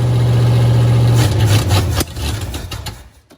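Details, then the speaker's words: 1954 Buick Roadmaster, 322 nailhead V8, first start after sitting for years with a leaky carb: catches and runs a few seconds with an uneven, lumpy beat and odd irregular noises; weird noises, cause unknown. "Makes really weird noises. I know. That really surprises me though."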